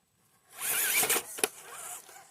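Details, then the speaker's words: Axial Early Ford Bronco RC crawler on its first run: brief ratcheting creak with a wavering gear whine as it climbs; driveline noise under load, suspected to be a driveshaft working loose, not confirmed. "we made it I didn't necessarily care for that noise there but we made it might have been one of our drive shafts trying to cut loose a bit more"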